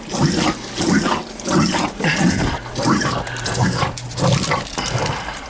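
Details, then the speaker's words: Basement condensate pump for a heat pump, installed a little over a year ago: repeating gurgling surges roughly every two-thirds of a second that never stop; float is all the way down but switch bad, pump runs continuously. "It's all the way down. It's not shutting off. A little over a year ago I put it in. Bad switch."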